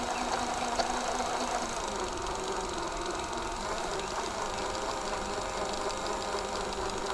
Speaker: listen to that mold cracking but because this has this opening this works great without disassembly you can hear that mold breaking you can definitely hear it you can hear it it sounds like masking tape